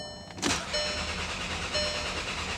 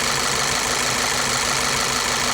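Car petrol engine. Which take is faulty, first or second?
second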